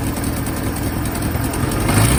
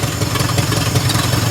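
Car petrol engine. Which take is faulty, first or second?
second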